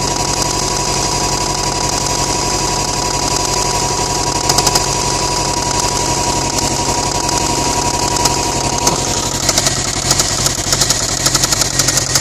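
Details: 2008 Subaru STI at idle: sharp metallic knocks tapping steadily under the idle, roughly a hundred a minute, deep hammering rod knock; engine was later rebuilt.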